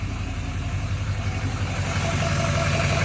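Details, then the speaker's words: Chevrolet L5P Duramax diesel just after installing a 64mm turbo, coolant a little low, batteries weak: steady even low diesel rumble at idle, no knocks, misses or whistles; running smoothly. "Oh, yeah. Oh, yeah. Listen to this thing just purr."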